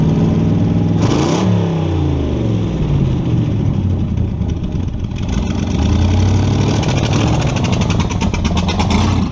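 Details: Model A with a 350 small-block Chevy (hydraulic roller cam, 9:1), tunnel ram with two Edelbrock 600 cfm carbs jetted lean, in a driveway test: V8 fires and revs, but goes flat and stumbles at wide-open throttle; owner unsure if rich or lean.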